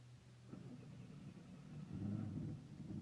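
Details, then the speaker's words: 1992 Firebird with a 3.1 V6, rebuilt with new lifters: a faint, low rumble surging and sagging unevenly, barely staying lit; rough running that sounds like a cam issue, and the owner suspects fuel starvation. "you know Susan runs like it's a start on foolish of them the [ __ ] sounds like it's got a cam and I"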